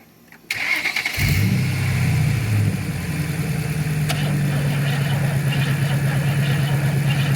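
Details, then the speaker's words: 1968 Camaro 327 V8 (30 over, ~331) sitting 15+ years, timing near 12 degrees; slow uneven crank ~3 beats a second, never fires; suspected drained battery or too much advance, jump or mini starter planned. "sounds pretty drained to be it's either fighting a whole lot of Advance or it's real tired put try to rard it a little bit"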